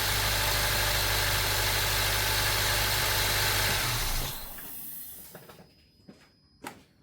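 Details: Acura TSX, formerly crank-no-start from an overextended, non-locking timing chain tensioner, after timing chain installation, idles smoothly and evenly for about four seconds before shut-off, with no timing-side rattle or ticking; a vacuum leak remains; normal idle.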